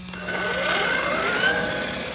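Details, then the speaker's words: Castle-powered Losi DBXLE 2.0 RC truck with a new 20-tooth pinion, two teeth smaller, running about 54 mph: a thin whine rises in pitch with throttle, which the owner suspects is the new pinion gear that should break in; not loud in person. "guess that's that new pinion gear huh so it'll probably break in and start getting a little bit loud"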